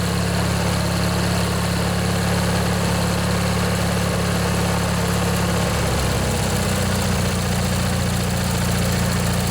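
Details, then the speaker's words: Montgomery Ward (MTD) riding mower, 16 hp Briggs & Stratton flathead opposed twin, first run in a year or two after replacing worn starter motor; water from muffler, steady even low idle, slight tone shift midway; normal idle. "man it runs good glad to hear that i think that was the problem folks just that old starter motor there was just worn out"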